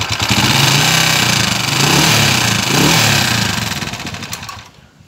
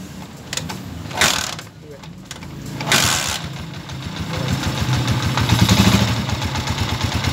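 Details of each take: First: TMX 155 motorcycle: a tinny, fast, can-like rattle inside the engine that rises with revs. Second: TMX155 motorcycle single after timing gear replacement: after a couple of starting attempts it settles into an even, steady idle, the earlier tinny broken rattle inside the engine gone; normal idle.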